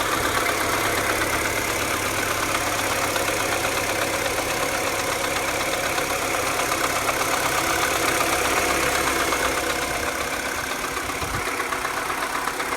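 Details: 2007 Mini Cooper (non-S) N12 engine, cold start and also warm: quick even ticking about four per second at idle, following engine speed, nearly gone above 2000 rpm, on the engine's left side; began after an hour of motorway driving, tensioner replacement didn't fix it.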